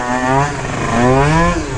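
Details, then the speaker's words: Scooter (Jog) with fresh Stage6 70cc two-stroke and taller gears, riding under throttle; buzz climbs, sags then picks up, a lean bog off the bottom end; top-end jetting fine, needle clip change suspected. "I think that bottom end wants a little bit more fuel though sounds like it has a little bit of a lean bog right"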